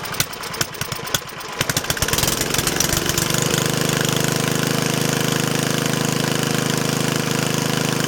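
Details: Yardman Snowbird snowblower small engine starting with ragged cranking catches, then a steady, even buzz with no knocks; it sounds excellent and barely smokes, running normally.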